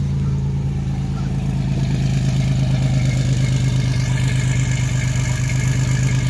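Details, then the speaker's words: 1987 Chevrolet Celebrity Eurosport, 2.8 V6, 237k miles, cold first start after fitting a MagnaFlow high-flow catalytic converter on an all-new exhaust with a single-in, dual-out muffler. A deep, smooth drone swelling evenly with revs, no rattles or leaks: a normal exhaust note. "I've not fired it up at all, so here goes nothing. So much better. So much better."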